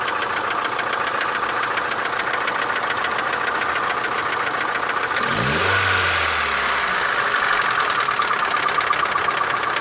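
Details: Mitsubishi Lancer 9 1.6 engine at idle: fast, light ticking holding through a brief blip; owner suspects the middle hydraulic lifters, services suggested many things up to engine replacement; cause unconfirmed.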